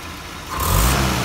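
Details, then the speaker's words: Land Rover Series 3 carburettor engine after carb cleaner sprayed in: revs climb quickly and cleanly on full throttle snap with no stumble; before, it hesitated. "actually seems more responsive now before i did beforehand when i put my put the throttle full open"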